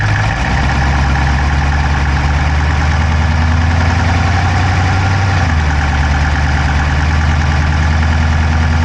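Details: Dodge Charger Hemi V8 at idle, recorded inside the driver's-side engine bay: a rapid, even clicking with engine speed under the deep exhaust drone. No exhaust smoke, so the owner doubts a dropped valve; source unknown.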